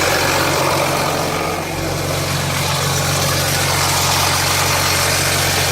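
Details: 2007 Jeep Grand Cherokee 3.0 CRD diesel at cold-start idle: steady metallic rattle near four per second echoing through the engine. Oil light comes on at idle. Owner suspects the timing chain, though the noise is not localised at the front.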